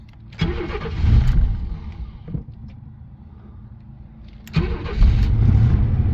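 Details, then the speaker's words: Vehicle with 132,000 miles, four-wheel drive, started after sitting about five years on old gas: cranks and catches promptly, revs, settles and runs evenly with no knocks or ticks; good oil pressure and battery voltage, normal start and idle. "up and it's started it's really good oil pressure extremely good oil pressure"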